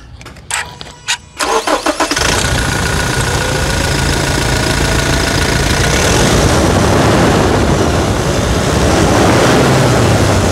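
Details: Toyota SW4 SRX 2017 started with hood open after full service (fuel and air filters, automatic transmission fluid change): a few cranks, quick catch, smooth even idle, no knocks or rattles; healthy.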